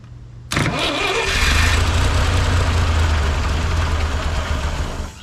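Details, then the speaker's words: 1958 Lull telehandler cherry picker sitting 15 years, parked with a fuel issue, weak battery: starter turns engine steadily about three beats a second but it never catches; carburetor needs gas. "it definitely need some gas in that carburetor the heck just what's up now please run"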